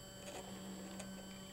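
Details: RepRap 3D printer with Gen 6 board, X-axis stepper jogging from a laptop: quiet, steady humming buzz at one even pitch, no skipping or grinding; normal operation.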